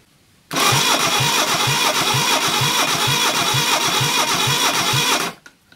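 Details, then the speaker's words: Reliant Fox engine, unrun for years, cranked on the garage floor for a compression test with the throttle wide open. Steady cranking with one beat per cycle missing compression: no compression on cylinder 4 (others about 160), and the feeler gauge won't fit, so the valve clearance is too tight. "are getting no compression on sitting before compression as we've got no compression on cylinder 4 we'll start by rechecking the valve clearances"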